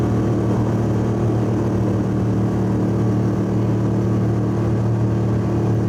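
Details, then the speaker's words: Subaru wagon daily driver, cabin mic, freeway at 100 km/h, 3,000–4,000 rpm under full load: steady deep booming drone from a fiberglass-packed, roughly 14-inch X-Force straight-through muffler, before replacement with a Lukey Turbo muffler. "I've been driving this car for about 18 months as my daily driver and getting sick of the noise from the muffler that's in it at the moment. It's a X-Force straight through muffler."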